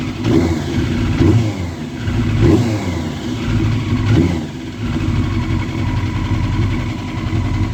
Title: Yamaha Fazer 600 misfire